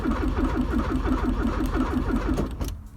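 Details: 1984 Porsche 944 after engine reassembly, fuel tank replacement, aftermarket alarm disabled and a spare DME tried: the starter turns the engine at about six beats a second with no firing. Cranks but won't start; injectors not working.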